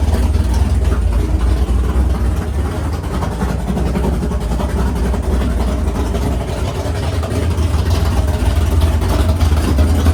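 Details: Freshly built 500ci big-block Mopar in a 1969 Barracuda, first start in the car: idle turned down to about 1100 rpm, deep lumpy steady cam lope, even and strong; normal healthy idle.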